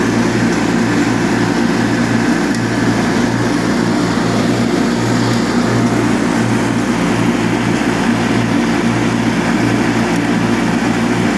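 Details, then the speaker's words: Revived Cub Cadet 782 Kohler single, with a new pulse fuel pump and cleaned carb, mowing wet, tall grass while varying RPM to seat the rings: holds a steady, even beat under heavy load without stumbling or bogging, healthy. "so that you can tell that was a pretty heavy load right there and it just went right through it"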